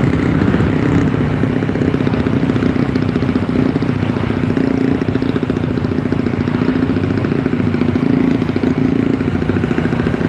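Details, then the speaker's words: Yamaha Force on the road near 90–100 km/h in third gear, after a loose spark plug was tightened: engine pulls steadily under road and wind noise with no stumbling or popping; misfire gone, normal running. "sudah nggak ada brebet-brebet karena kemarin tuh businya kendor"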